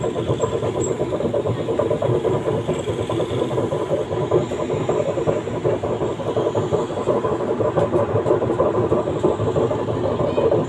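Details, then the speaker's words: LG 15 kg washing machine on spin, before bearing replacement: steady coarse, rattly rumble with no clear rhythm; drum is loose (wobbly), likely worn drum bearing, suspected not confirmed. "Mesin cuci LG ini suaranya kasar, kita cek drumnya ya. Oh, ini drumnya oblak. Nah, ini kalau drum oblak begini nih kemungkinan besar bearing amrol."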